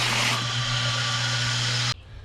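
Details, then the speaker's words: New sand point well water pump at cabin, replaced after old pump ran continuously and overheated (check valve also replaced), newly wired and primed: steady low smooth motor hum with even rush of water about two seconds, then clean shutoff; pump healthy. "wired it right. Sounds pretty smooth."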